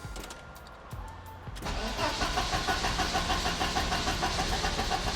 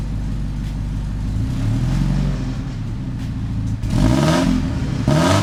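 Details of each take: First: 1986 Porsche 944 Turbo, engine just reinstalled, DME temperature sensor unplugged: long crank, then the engine stumbles to life with a lumpy, uneven beat. The DME reads it as freezing cold and overfuels, wetting the plugs and blowing white smoke of unburnt fuel. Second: 1986 Porsche 944 Turbo after replacing the faulty open-circuit DME temperature sensor (old one read over 2,000 ohms) with a new Bosch 0 280 130 026: engine fires and revs cleanly, settles to a steady even idle, no smoke, no misfire.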